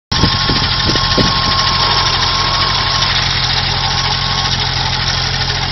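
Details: Engine revving then settling to idle: light quick tick over the engine, owner suspects valves, likely top end.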